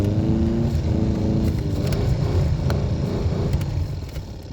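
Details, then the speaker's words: 1996 Impala SS heater/AC blower motor that stopped working: low, uneven whirring hum surging and sagging, can't hold speed; connection is good, owner suspects the internal windings; failing blower motor, being replaced. "She has a good connection. I think it's just messing with the windings on the inside."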